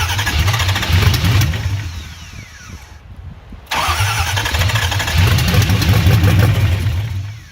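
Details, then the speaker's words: 1968 Ford Bronco with Coyote fuel injection, first fire-up: V8 cranks, catches with uneven loping bursts, cuts out and is cranked again; runs poorly, fuel problem later found (green gas in fuel rail, injectors cleaned). "So a couple of hits of the fabricated little button system I made up, and the engine sounded like it wanted to come to life."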